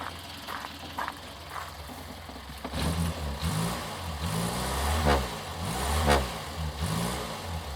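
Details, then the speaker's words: Restored Morris Minor 1000 convertible, started on choke on a summer day, then choke eased off; catches and settles to a steady, even idle with light throttle blips, sounding just as it should, normal idle. "Sounds just like your Mogy should. Really, really does. Settles down to a lovely idle."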